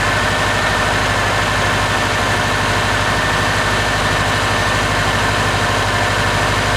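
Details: Subaru turbo after installing GrimmSpeed couplers, pitch mount and turbo blanket, checked for vacuum leak on first start; steady even idle, smooth low drone with faint high whine, no hiss or hunting; normal idle.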